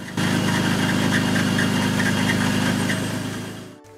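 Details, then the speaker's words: 1997 BMW 528i E39 (M52 petrol engine) idling with a chirpy, pulsing high squeal from worn belt tensioner/idler pulleys, fixed by replacing both tensioner pulleys; other pulleys and belts also inspected. "Salut à tous aujourd'hui on va changer les deux galets tendeurs de la BMW ! Vous entendez ça couine alors on va regarder ça !"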